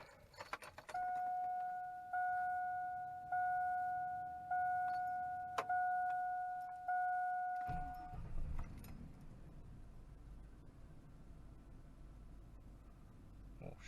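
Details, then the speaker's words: Old V8 truck after replacing all eight badly fouled spark plugs, check engine light on, owner suspects possible clogged cats: door chime about once a second, then engine catches and settles into low even idle with no misfire; normal idle. "idling pretty good I don't expect that to turn off right away he'll probably take a few turn keys but I'm gonna go for a ride and see"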